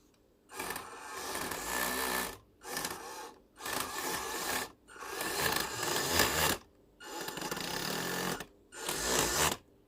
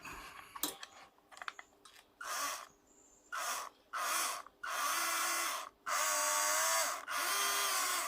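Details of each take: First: Upgraded WPL B36 1/16 RC truck after a few runs: short bursts of harsh gritty whirring as the motor spins up; pinion skipping on the spur gear, gear grinding from an undersized motor pinion. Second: Upgraded WPL B36 1/16 RC truck after swapping in a slightly larger motor pinion from a spare motor, replacing the too-small original that didn't bite: motor whine rises and falls cleanly, no grinding or skipping; gears mesh smoothly.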